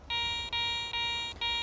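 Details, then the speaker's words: Garrett ACE 400 metal detector (10 kHz) swept over a coin: clean high tone repeating in short bursts each sweep, accepted coin signal with target ID cursor and digital ID around 85–86. "You can hear the audio, and you can see the target ID cursor at the top. That pixel indicates the probable target identity."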